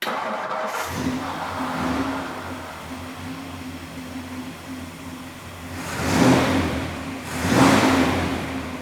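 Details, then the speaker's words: 1964 Ford Galaxie 500 XL, 352ci V8, Holley 4-barrel, manual choke, cast iron manifolds, dual exhaust: catches after brief crank, mild even burble, two clean blips rising and falling smoothly; normal start-up and rev, not super loud, nice rumble. "Later in the video we'll start it up and you can kind of hear the car. It's not super loud but has a nice little rumble to it."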